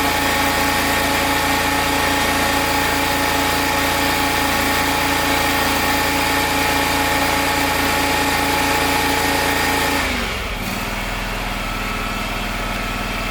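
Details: Gravely 260Z zero-turn mower, about 2006, Kawasaki V-twin, after carburetor replacement: steady too-fast idle then sharp drop to a slower beat, as the unlocked idle screw that had vibrated in is turned down and locked.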